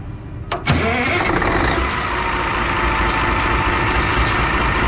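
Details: A diesel catches after a brief crank, just after its fuel filters were changed and it was run to purge air. It settles into a steady, even idle clatter with no stumbling and sounds healthy.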